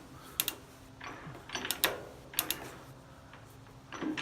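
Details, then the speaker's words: G0709 lathe gearbox, spindle turned by hand without chuck while checking a lead screw issue: light, crisp clicks with no grinding as the gear seats positively in X and W; normal gear engagement. "you can hear the positive click when it's an X as I spin this spindle you hear the positive click as it's in W"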